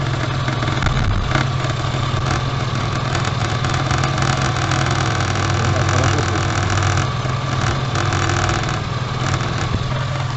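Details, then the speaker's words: Tavria pickup heard idling from underneath in an inspection pit. The owner reports a scraping noise when pulling away and suspects the engine now sits slightly higher, making the carburetor-type resonator touch. The catalytic converter was removed long ago. A loose, irregular tinny buzz: exhaust heat shield rattle. "сейчас короче видать двигатель стал чуть выше вот и начал резонатор у меня карбовый резонатор обоссал этот инжекторный катализатор я выкинул давным-давно"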